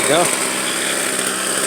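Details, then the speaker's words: Two-year-old gas two-stroke weed eater, left sitting all winter with old fuel in it, started after priming in about five pulls: high, buzzy drone holding a steady pitch. Running evenly. "that wasn't too hard left the fuel in it there we go well they both started"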